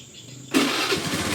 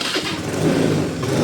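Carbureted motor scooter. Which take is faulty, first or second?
second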